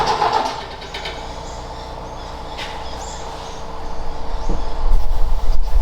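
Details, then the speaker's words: Ford XA Falcon parked outside for years: brief burst of firing fades to a weak stumble, then ragged cranking again; owner suspects it running out of fuel, spark and fuel confirmed present. "getting a bit run out of it it's chopping for longer than 30 seconds well not 30 seconds but certainly doing something"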